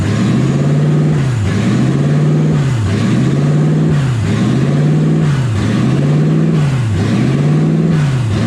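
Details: Toyota 1UZ V8 in a Ford Falcon, driving with new exhaust, warm at about 160°F; idle surges and drops about every 1.5 s; cause not yet found.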